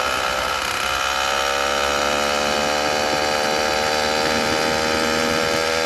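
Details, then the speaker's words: Brand-new F-Zero A301 two-stroke motorized bicycle engine, first start: high, buzzy note that wavers instead of holding steady; owner says it may need adjustments such as jet changes. "course brand new motor you might have to make some adjustments change the Jets and sounds like it's running real RI it's running good the first start"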